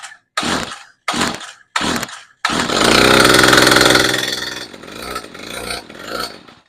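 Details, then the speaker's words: Stihl FS55 RC string trimmer, choked and primed, fires after three pulls, tries to rev on throttle but sounds choked and super muffled, then sags; wrong-length housing screw caused binding in the drive shaft, loading and bogging the engine. "so I got it started, and as I pulled the throttle, you could hear the engine rev up, but it sounded like really super muffled."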